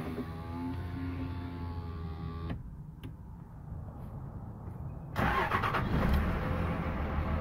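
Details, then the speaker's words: 5.9 Cummins diesel (3rd gen common rail) warm start, not cold, a few days after an ECM replacement: catches quickly and settles into a steady, even, smooth low-rumble idle; earlier codes cleared. Normal warm start and idle. "I figured I'd show you guys how the truck's running with the new ECM. This isn't a cold start, by the way. It's just I've been running errands all day, but wanted you guys to hear it."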